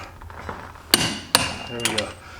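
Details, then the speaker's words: Click-type torque wrench tightening CV axle castle nut on Can-am Maverick X3 after greasing wheel bearings: sharp metallic snaps as it releases at the set 184 ft-lb; normal click at set torque. "You hear that click? That's 184 foot-pounds."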